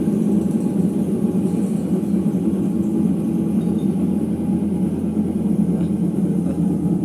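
A steady deep rumble with a coarse growl underneath holds through the spin; that rough drone points to worn drum bearings.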